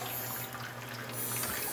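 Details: Profitec espresso machine after repair of a cracked-leak and temperature-sensor leak and a replaced sensor-to-heating-element wire; steady water trickle over an even pump hum during the post-repair test; normal water flow, no leaks.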